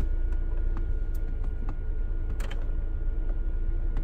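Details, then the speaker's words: Salvage car with 2.2 liter Ecotec at idle: sharp clicks, one louder as the AC compressor clutch pulls in when AC is switched; compressor engaging normally, though blower motor suspected bad. "But when you turn the air conditioning on and off, I can hear the compressor kick in. So I know that the AC, yeah, there it goes. I know the AC is working."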